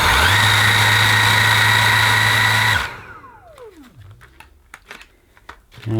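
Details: Dyson V8 Absolute cordless vacuum, new, running on max power: steady high-pitched motor whine, smooth and even, then switched off and winding down; normal running at max.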